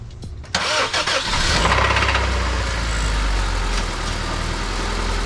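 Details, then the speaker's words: Old Honda jump-started with a 4S LiPo battery, cranks and catches, then idles with a deep uneven knock underneath; owner suspects rod knock, car being retired. "So yeah, I got a little bit of a rod knock."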